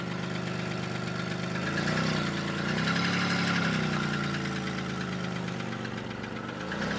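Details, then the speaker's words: 2002 Chevy Malibu no-start, after crank sensor and ignition switch work, first start after sitting four months: steady fairly even idle, low rumble, slight rise and settle; fuel leak and a rear wheel that keeps locking up. "this is amazing this thing is running unfortunately I got a fuel leak"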